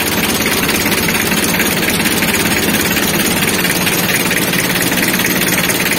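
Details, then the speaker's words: Mitsubishi L300 diesel idling with steady, even clatter, no stumbles; keeps running with battery terminal disconnected, showing charging restored after repairing a broken alternator charging wire that had caused the no-start. "Namun mesinnya masih tetap hidup cycle menandakan bahwa pengisiannya kita normal kembali"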